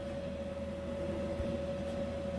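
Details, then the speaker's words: Bison 2000A gas heater newly installed in a van conversion, outlet about 140°F: steady even whir and mid-pitched hum, no sputter or surging, after early error codes and sputtering; now running at full output. "You can hear it's spitting and sputtering like an old Model T. But now she's going full force."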